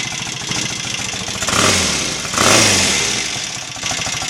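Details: Royal Enfield Interceptor MK1 twin after carburettor rejetting (25 pilot and 380 main jets, 3.5 cutaway slides): even idle, clean pick-up on two throttle blips, no spitting back or hesitation; normal revving.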